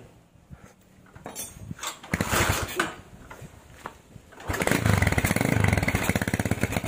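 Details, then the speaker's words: Tiger standard factory engine with PWK 28 NGO carburetor, stock JJY needle on middle clip: hissing, sputtering idle with hanging rpm that stays high; exhaust pops when throttle released. "Dari stasionernya itu suaranya ngeses, tapi RPM-nya itu gantung. Begitu digas, dilepas gasnya itu ada letupan di knalpot, ada letupan di knalpot, RPM gantung, tapi gasnya itu dibuka ngeses langsam."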